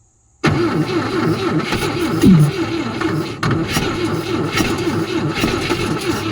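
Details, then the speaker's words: 1972 Volvo 145, cylinders soaked, tried with no carburetor fitted and a locked alternator: engine catches and runs rough with uneven, stumbling firing, barely keeping going. Sputtering and barely runs; poor fuelling likely. "But it did try to run, not very well without carburation, so I'm not really sure."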